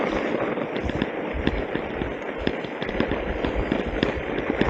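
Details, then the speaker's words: Insta360 One RS on a magnetic quick-release mount while mountain biking downhill: sharp irregular rattling clicks as the mount's top and bottom plates rock despite full tightening, transmitting through the camera; cannot be suppressed. "they Rock it's not the it's not the camera mount it's the two plates and that sound transfers right up through the camera so you got this rattle rattle rattle"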